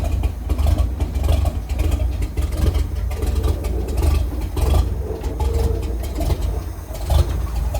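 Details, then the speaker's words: International R-170 4x4 truck with a roughly seven-decade-old petrol engine, after repair work: even, steady low rumble idling down to about 300 rpm, with one noisy valve; otherwise normal idle. "That's how they're supposed to sound, other than the noisy valve. And she idles down to about 300, it sounds like."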